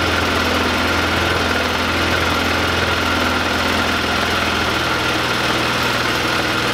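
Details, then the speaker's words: 2005 Polaris Ranger 500 after cleaning out and reassembling with gasket: steady even single-cylinder putter, constant beat, no knocks or misses; normal idle. "Alright, cleaned everything out. We're going to see if she fires up again."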